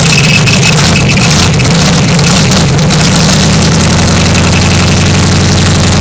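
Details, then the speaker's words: 1973 Chevy Nova with carbureted stock 350 V8 and open shorty headers, after fixing vacuum leaks: very loud, raspy, lumpy idle with harsh uneven burble; exhaust open with no mufflers. "although it sounds terrible this is the worst sound in carbone stock 350 with open shorty headers is bad"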